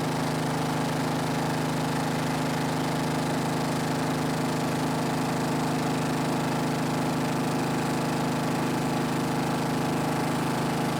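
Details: Snapper riding mower, garage-stored by the original owner, runs after the angled fuel tank that starved it of fuel was set back in place; a steady, low single-cylinder putter at an even pace, no stumbles or knocks, normal running.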